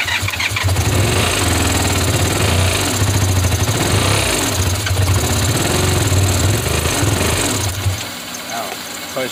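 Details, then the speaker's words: 1985 Honda VF500F Interceptor motorcycle: engine catches and revs in lumpy bursts only while gasoline is sprayed into the intake, then fades; fuel not passing through the carburettors (gas found in one carb only). "when i spray the gas inside of here i just don't know why it's not going through the carburetors again"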